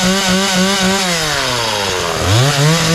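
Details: McCulloch Mac 3200 32cc two-stroke chainsaw, 14-inch bar, after repair: crisp buzz that drops off and revs cleanly back up without stumbling; chain oiling confirmed, runs and sounds good.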